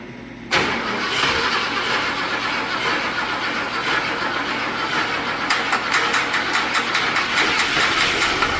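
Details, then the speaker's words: Junkyard Ford Thunderbird V8 revival with bad accelerator pump: catches and runs roughly, uneven stumbles and sharp snapping ticks; misfire suspected from crossed plug wires, vacuum leak also suspected, not confirmed. "Hey, that's probably the miss. What? Back crossing. It could be cuz you can hear you can hear something snapping."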